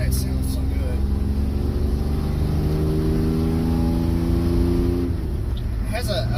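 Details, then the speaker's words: 1985 Chevy S10 after swapping its 700R4 automatic for a 5-speed manual from an 89 S10, driving at around 2500-4000 rpm: deep even crisp exhaust drone climbing smoothly through the gears, no misses or knocks; normal engine revving. "perfect tone to it when you're hitting somewhere around 2500 to four grand it it's got a just that crisp"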